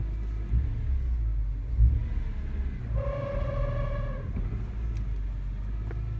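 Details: BMW E46 M3 with 6-speed manual swap, E34 M5 clutch and lightweight UUC flywheel: low engine rumble with a brief, steady mid-pitched whine lasting about a second; clutch noise, cause unknown.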